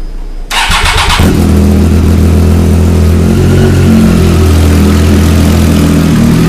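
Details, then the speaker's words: Triumph Daytona 675R motorcycle started after an oil change with oil topped up, exhaust hose over the pipe: starter catches within a second, revs flare briefly, then settles to a steady even burble; clean start and healthy idle. "I'll turn the fan on start wrapping the key on yeah I started up"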